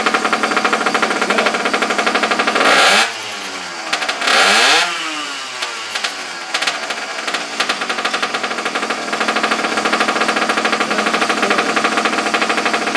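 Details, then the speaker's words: Abandoned motorbike, small single-cylinder engine, hand-cranked with choke on after struggling with a weak yellow spark and plug gap: catches after a couple of sputters and settles into a steady, fast, even putter; finally firing and running fine. "Sounds pretty good. Sounds like it's lighting finally."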